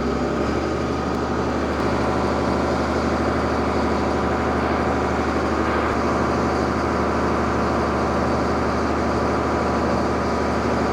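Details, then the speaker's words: Freshly overhauled Allis Chalmers 210 tractor diesel on break-in at wide open throttle in an easier gear, 900° pyrometer, 163 coolant, 39 psi oil, about 7 psi boost: steady deep drone, even with no knocks or misses; engine okay. "Okay, we're wide open throttle, still pulling in an easier gear. I think we're okay."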